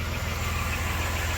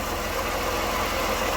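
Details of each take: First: 1993 Dodge Grand Caravan LE, about 166,357 miles, idling on ramps after a new water pump, idler, tensioner, belts and coolant: a low steady even idle with no growling pulley, quiet and healthy, the earlier noise gone. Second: 1993 Dodge Grand Caravan LE idling in the engine bay after new belts, alternator refit and transmission fluid drain: a steady gritty whir over an even idle persists; owner suspected AC compressor, idler or tensioner, but the weeping water pump's worn bearing is the cause.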